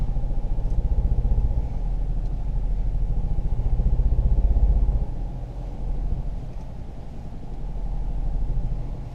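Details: 2018 Ford Focus SE, sat about three weeks outside, seller claimed water in a cylinder; jump-started and running in drive, stationary, with lots of white smoke: low, uneven chuffing idle with lumpy rising-falling beat, running rough.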